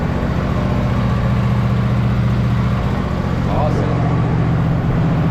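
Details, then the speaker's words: Husqvarna riding mower with a hydrostatic transmission, driven after the worn idler pulley bearings were replaced. Steady, even engine hum with a smooth low drone and no whine or grinding; the transmission is now quiet and the earlier noise is gone. "hopefully this pulley sounds decent sure hydrostatic because I always forget that all right here we go oh yeah no noise at all butter"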